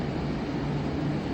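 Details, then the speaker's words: Rooftop recording on a hot evening beside a large school exhaust vent, level with the vent, with PTAC units running. A steady, heavy rushing roar with a deep hum underneath like a giant refrigerator or factory: loud ventilation noise. "It's it's literally like standing next to like a gigantic refrigerator or a factory or like an airport. This is so loud."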